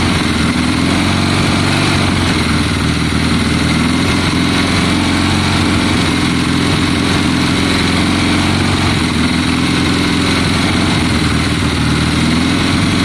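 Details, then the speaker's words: 1972 Triumph Bonneville T120 with Mikuni carburetors, kick-started, first start in a long time after cleaning the spark plugs: steady, loud twin-cylinder idle with an even lumpy beat and no misses; sounds healthier, running cleanly. "sounds better to me john it sounds happier"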